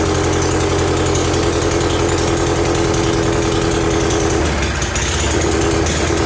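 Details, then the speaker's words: 1975 Briggs & Stratton 3hp horizontal-shaft small engine, first run after revival, fed from a bottle: loud, steady, high-pitched screaming with no load, sounding far too fast; engine overspeeding but runs. "I can't resist trying it oh that sounds screamy but it did run"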